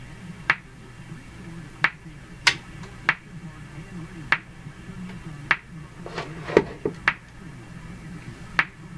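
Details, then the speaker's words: Hammarlund HQ-180 receiver, still working through the fault: sharp, isolated pops about every second, irregularly spaced, over a quiet hum. Intermittent motorboating; owner suspects the AVC system, not confirmed. "the radio is working even in the midst of the problem oh there it goes again pop pop pop pop usually has something to do with the ABC"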